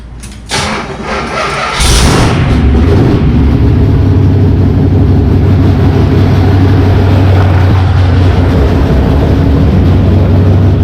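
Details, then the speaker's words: 1977 Pontiac Trans Am, freshly wired, started with the throttle cable not yet connected. It cranks and stumbles before catching into a rough, loud run. Hard start from fuel delivery trouble; the owner suspects the carburetor needle and seat are not letting enough fuel in. "Having a little bit of problem getting fuel up to it."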